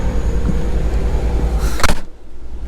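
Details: Gulf Stream Endura Super C motorhome on Kodiak C5500 chassis, 6.6L Duramax diesel with Allison transmission, left idling almost 5 hours running both AC units: deep steady diesel drone, no knocks or surges, then a door thud; normal idle.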